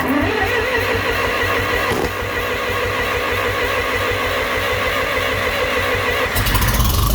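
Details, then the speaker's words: John Deere 3020 LP (propane) tractor after new cylinder head, warming up, idling without choke: loping, uneven beat about three pulses a second, not settling; carburetor adjustments don't help; rough idle, cause not found. "now it's running better it will idle without the choke now as you can hear not quite right"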